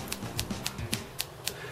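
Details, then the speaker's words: SNK Neo Geo MVS MV-1AX board with no BIOS ROM fitted: sharp, evenly spaced speaker clicks about four a second, watchdog resetting because CPU can't boot; possible RAM fault suspected. "yeah that's a watch doog uh you'll get random garbage uh and that this is happening because the CPU can't boot"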